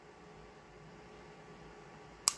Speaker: You heard it click, right? That was the reset. You got to come back a little bit.